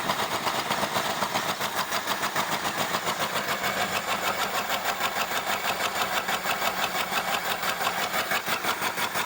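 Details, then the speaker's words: 1975 Ford Granada V8 revived after years of neglect: rough, shaking idle with a steady airy hiss from a likely vacuum leak at the unplugged vacuum tree, and not all cylinders firing. "Probably a vacuum leak, I can hear it. Wow, that vacuum tree is unplugged, so I'm not surprised."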